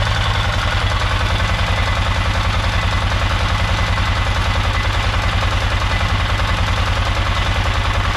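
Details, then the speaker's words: Polaris Sportsman 500 test run after a top-end rebuild, manual cam chain tensioner fitted: steady, rapid metallic clatter of about three to four hits a second over the idle. Owner may refit the automatic hydraulic tensioner or check the CVT cover; cause unconfirmed. "well it goes it's got power it seems to be running good but I got this crazy like clattering noise coming from the motor"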